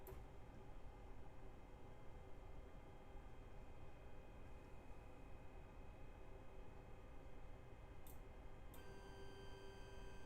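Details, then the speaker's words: Two Trees Bluer 3D printer, said to have 2208 drivers on X and Y. Several steady high whining tones from the steppers change as axes move. Owner suspects noisier older drivers on E and Z, not confirmed: stepper motor whine. "so at least it's got 2208s on the x and y uh it sounds like it's got uh four eight four nine eight eight eight four nine nine eight drivers on the e and z which uh is about right because 2208s are known to not have enough power"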